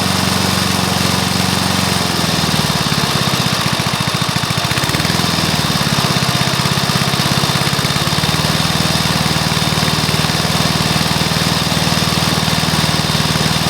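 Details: Briggs & Stratton mower engine (believed early 1984), first start after rebuild with new piston, rings and valves for oil consumption (loose rings, worn valves); catches after a couple of seconds, then steady even drone, no knocks or misses; normal running.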